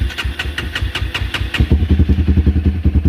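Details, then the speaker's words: 2016 Honda CBR300R, fuel injected, 3,000 miles, just started: uneven loping firing, then a quicker ragged beat, and it stalls quickly. Owner suspects fuel starvation or a sensor issue; not confirmed. "but as you can see stalls out pretty fast"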